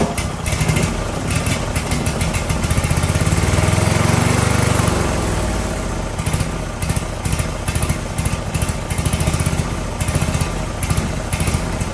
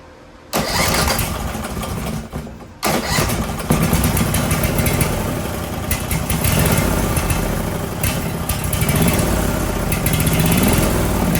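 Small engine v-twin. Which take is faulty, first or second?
first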